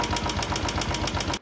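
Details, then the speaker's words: Motorcycle engine hot after 15–20 km of riding: sharp, even ticking about seven per second at idle; hydraulic tappets losing pressure as hot oil thins, fix is replacing the hydraulics. Cold it only has faint normal cam gear noise. "देखा दोस्तों कैसी आवाज आ रही है मतलब बिल्कुल इसके hydraulic काम करने बंद कर गए इसके तो बेसिकली क्या हो रहा है ऑयल जब हीट होके पतला हो रहा है उस टाइम पे हाइड्रोलिक अपना प्रेशर कर ही नहीं रहा"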